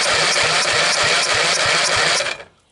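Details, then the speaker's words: Briggs & Stratton 12.5 HP L-head engine, corroded by mice after years on a shelf, cranked by the starter: strong, even pulses about five a second with firm resistance on each stroke, so compression sounds good. Spark is checked next. "Yeah, it sounds like she's got plenty of compression."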